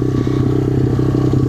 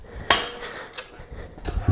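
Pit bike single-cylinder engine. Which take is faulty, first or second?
first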